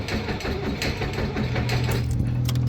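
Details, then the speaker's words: New Holland RG80 motor grader after replacing the starter crank solenoid/relay and cleaning mounting bolts: steady, even, slightly slow cranking on somewhat low batteries; starter turns the engine cleanly. "It's cranking. It might be low on batteries are a little bit low. Have to charge them up. But it's cranking, so that's all we're supposed to do."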